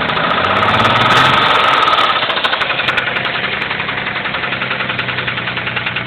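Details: 1991 Mitsubishi 3000GT VR4 engine running: a sharp, regular metallic knock about three to four per second, deep in the bottom end. It started suddenly, with no metal flakes in the oil and no oil pressure problems; owner suspects a spun rod bearing, unconfirmed.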